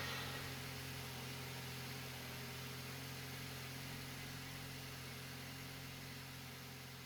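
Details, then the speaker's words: VW Passat after replacing a badly cracked intake manifold: quiet, steady idle with a smooth even hum, no rattle on startup, no knock, no faults; engine runs as it should. "Finally, it works the way it should. No rattles on startup, no knocking, no faults."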